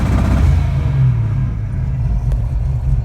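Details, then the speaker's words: V8 fitted with an MSD 3-step on an analog MSD 6AL box, line-lock switch on and holding about 3,800 rpm; steady high revs with a rapid choppy stutter as spark is cut, limiter holding correctly. "So we'll turn it on. Switch is on. So it should be right about 3,800 RPM."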